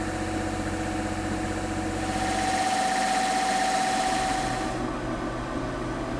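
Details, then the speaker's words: Boat generator started for the first time after a leaking generator strainer was found, with good oil pressure: steady, even drone and constant hum, no knocks or hunting. It runs healthy. "Of course, that noise you hear is the generator running."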